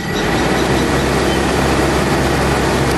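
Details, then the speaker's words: 4AGE Corolla with the thermostat fan sensor unplugged: steady even rush of air, both radiator fans running flat out, showing the fans have good power and earth. "we can hear the fans turn on so there's got to be an issue somewhere in there"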